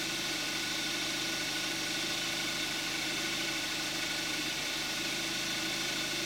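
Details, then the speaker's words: Cold start of a 2014 Kia Forte5 2.0 GDI, 41,000 miles, synthetic Amsoil 5W-30, camcorder's built-in mic; muffled even idle with fast light injector tick over soft hum, smooth healthy normal idle. "This is going to be the cold start of a 2014 Kia Forte5 2.0 GDI with 5W-30 synthetic oil and 41,000 miles on the engine."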